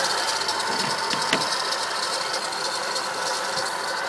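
Uneven light rattling ticks, about three a second, over a bright engine hum; the source of the rattle is not clear. Cause suspected, not confirmed.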